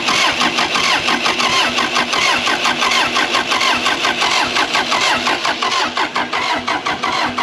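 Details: Case 450B bulldozer diesel after fuel turned on with good flow, oil, radiator and air filter checked: starter churns steadily about 86 pulses a minute, never fires; pump not yet bled, air in injector lines suspected. Cranks, no start.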